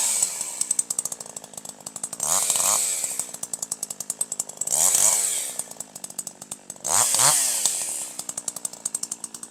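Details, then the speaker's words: Older manual chainsaw with H screw set at 1.25 turns: higher RPM, crisp even firing climbing cleanly in quick bursts, slight four-stroking out of cut, smooth powerful in cut, excellent throttle response; correctly tuned. "This time you'll hear even higher RPM, better power, a little bit of force stroking, a little bit of force stroking out of the cut, and full smooth powerful operation in the cut. That's what you want."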